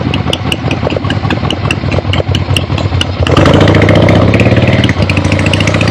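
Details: Finished 1975 Harley-Davidson XLH Ironhead Sportster after rebuild, basically stock, real road test ride with gas tank fitted, camera clipped to rider: loping V-twin beat, about three or four pulses a second, then revs pick up firmly; runs clean and healthy.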